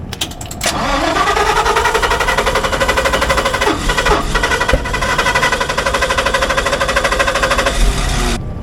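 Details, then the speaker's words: Standby generator on start-up after oil change: engine runs rough with irregular sharp pops and backfires over an uneven drone; cause unknown, ignition module may need replacing. "yeah I don't know what's going on with it but you hear the backfires and stuff so something's got to be going on"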